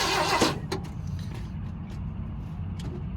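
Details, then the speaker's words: Propane-fed engine cranked with spark on: brief start burst, then a low, uneven churning roll that never fires; suspected air lock. "You might have an air lock still. Okay. Might be why it's not firing."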